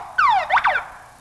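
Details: Code Alarm car security system chirping during programming, where the number of chirps indicates the setting. A falling electronic whoop is followed by two quick rising-falling chirps, with a quiet background and no engine. Alarm chirp.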